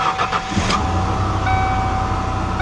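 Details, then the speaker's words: 1991 Mercury Cougar 3.8 after starter replacement and new battery terminals: brief cranking bursts, then the engine catches cleanly into a steady idle. The starter engages crisply with no grinding, a normal start on repeated test starts. "make sure you do it about 5 times make sure everything is good"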